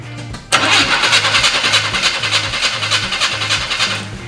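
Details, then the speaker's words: 1980 Chevy C10 square body pickup, long-abandoned, cranking after starter reinstalled and wires reconnected: brisk, even cranking at roughly three pulses a second with strong steady rhythm, sounding much better. Normal cranking. "well hot dog that sounds better don't it"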